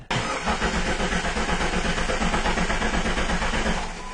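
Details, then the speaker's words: Jeep with recurring fuel pump failures and hard start: extended cranking at about three turns a second without catching after key-on prime; fuel pressure builds late then drops right away, indicating fuel pump check valve failure. "okay we saw we actually built up pressure eventually there right when I gave up let's do that again you notice how the pressure just drops right away again indicative of a Chuck valve problem"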